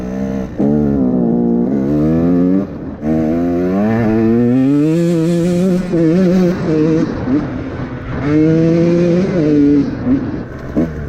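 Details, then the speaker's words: 2017 KTM 150 XCW two-stroke with Lectron Billetron carb, adjustment turned in half-turn steps: revs sweep smoothly but stumble and sag on sharp throttle openings; rich bog, possibly loading up at idle, float level suspected high. "Still boggy when you whack the throttle. Oh, maybe it's better."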